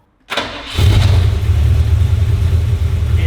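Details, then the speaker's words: Holden VK, warm engine, after timing set with a better distributor to fix a hot start issue: quick crank, catches at once and settles into a steady, even low idle with no stumble; normal hot start. "Alright, hopefully we fixed the hot start issue with a better dizzy. Well, technically that was a hot start."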